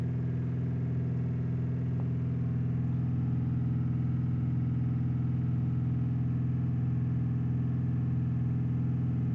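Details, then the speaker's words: 2015 Audi A6 TDI diesel, parked 3 years, blocked DPF, turbo leaking oil into DPF, AdBlue faults: steady drone with uneven beat about twice a second, revs fluctuating as if running away; misfire with surging revs, attributed to turbo oil. "the um accelerator the rev count is uh fluctuating up and down uh almost like it's trying to run away with itself so from the oil getting through on the turbo"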